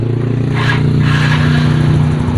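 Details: Fuel-injected Yamaha Fino scooter that had sat unused and started only intermittently: it catches easily and settles into a steady, even idle with no stumble. The owner suspects a faulty spark plug cap, since it started when the cap was bypassed.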